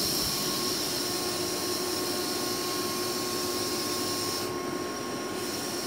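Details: 2005 Boge 40 HP variable-speed compressor, 480 V, 79131 run/1909 loaded hours, at max rpm rebuilding pressure after a ball valve is opened, about 68–70 dBA: steady high rushing whir with a fixed whine, even and unbroken; normal running.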